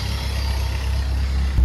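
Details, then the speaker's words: Nissan Sentra B14 petrol after repair of all four cylinders flooded with fuel, worn injectors and fuel regulator, burned-out ECU, car stuck a month: deep steady low rumble at idle, no misses or stumbling; normal idle, needs slight fine tuning. "Ayun oh, another successful ano, medyo fine tuning na lang to."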